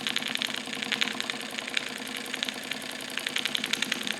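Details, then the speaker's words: Wilesco D455 tabletop double-acting stationary steam engine, throttle full open, warming up while purging condensed water and oil: quick, fairly even chuffs at three to four a second with light hissing. Normal running. "So as everything really comes up to temperature, it's purging condensed water as well as some oil. And you'll listen to the sound change a little bit as things heat up."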